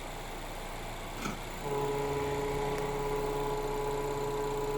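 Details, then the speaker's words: Right after shifting into drive, a steady mid-pitched whine rises over the idle and holds even; an unidentified foreign noise, cause not yet determined. "посторонний звук. Включаем паркинг. Что за звук?"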